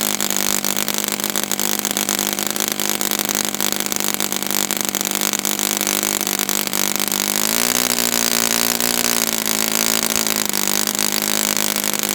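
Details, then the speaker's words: Brand-new customer Saito FA-100T four-stroke twin glow engine on test stand, break-in run: loud steady high-revving buzz at even pitch, brief dip near end, no sag or surging; rich, oil dripping from exhaust, not lean. Normal rich break-in run. "And this engine is got so much oil coming out, so it was not lean at all. I mean, there's oil dripping from my finger here."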